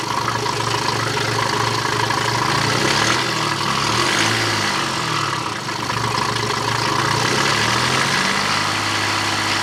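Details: BMW after low oil pressure warning repair, with the crankshaft pulley, drive belt, intake pipe, airbox and mass airflow sensor refitted: engine catches and settles into a steady, even idle with a faint belt hum and no knocking or ticking. Runs fine.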